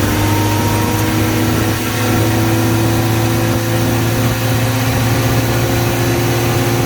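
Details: Toyota KE10 Corolla first run at about 2000 rpm for 10–15 minutes: steady fast idle with a raspy, puffing edge up front. Exhaust leak, which sounds like it is where the extractors meet the cylinder head.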